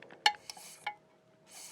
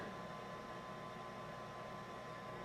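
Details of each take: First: Rheem water heater blower pressure switch, bench-tested by blowing and sucking with the mic in front; faint sharp clicks with a lag before it snaps over. The switch is hanging up inside, so it's a bad pressure switch needing replacement. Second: Rheem water heater vent blower after replacing the pressure switch with a new one that triggers at lower pressure: steady, even low hum and airy rush with no rattle; no fault, and the main burner lights.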